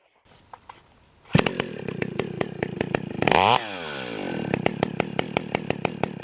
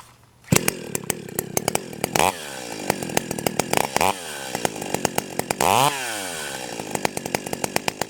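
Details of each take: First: Stihl 028 AVEQ chainsaw with the low-speed carburetor screw turned out about half a turn: starts, blips throttle, then a slow lumpy popping idle from too rich a mixture. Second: Stihl 028 AVEQ chainsaw two-stroke, carburetor jets at factory settings of one and a quarter turns out: snaps cleanly from idle to high revs and back several times, with crisp pickup and no bogging; not too rich, normal running.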